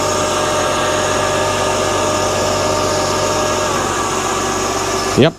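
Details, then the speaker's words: 2005–2009 Mercedes-Benz E350 M272 3.5 V6 at cold start after an engine air filter replacement: steady idle with an even whirring hum from the secondary air injection pump, then cut off. No whistling that would indicate an air leak; normal operation. "as you can see that was the secondary air injection pump that he heard seems fine"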